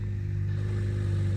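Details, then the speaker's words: BMW 535xi E61 wagon at idle with the exhaust gaskets removed during a repeat exhaust leak repair: a deep, loud, blatty rumble with a rough pulsing beat and no muffling. Exhaust open at the downpipe joint. "Let's see how it sounds without those gaskets on them. Is that loud?"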